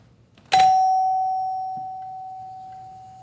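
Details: Doorbell with seized chime plunger giving one clean bright chime strike that fades evenly, working after a simple low-voltage wiring fix.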